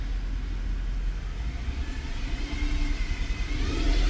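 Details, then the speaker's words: 2010 Mercedes E63 AMG at operating temperature, held at 1500 rpm after camshafts were taught in: steady low rumble with an uneven, stumbling exhaust pulse; bank one still misfiring despite everything replaced, a problem plaguing the car almost two years. "Nope. Nope. Nope. I cannot believe this. This is actually unbelievable. What is up with bank one?"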